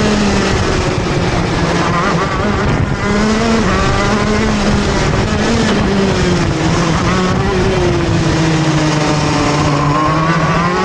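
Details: TM Racing KZ-R1 two-stroke go-kart engine on track; wail sags and drags in pitch pulling off turns before climbing again: engine bogs under acceleration out of corners, cause unclear.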